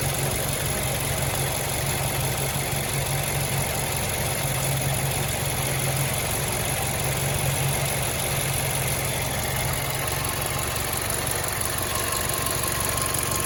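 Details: 2011 MazdaSpeed3 at idle: fast, light ticking on the passenger side, steady with the idle; owner suspects the idler pulley, which shows slight side-to-side play while running, not confirmed.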